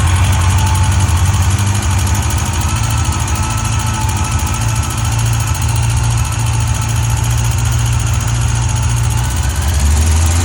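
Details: 2005 Yamaha FJR1300 at idle with a quick light tick following engine speed over a deep steady hum; source of the tick unknown.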